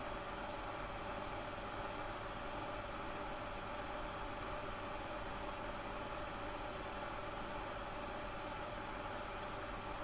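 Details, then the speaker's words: Hot air soldering station fan, possibly about a year old, suspected fake Hakko knockoff, lightly used: steady rough whirring with droning mid tone and fluttering hiss from worn fan bearings. "And um you can hear the bearings have already gone the fan."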